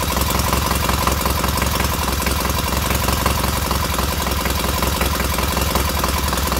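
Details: Freshly rebuilt K750 twin on first start-up, after a minor ignition fault stopped an earlier attempt: steady, even chuffing idle with no misses or knocks, both cylinders firing evenly and heating equally; normal healthy idle.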